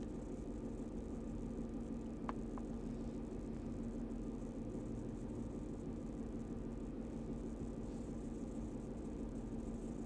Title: no misfire idle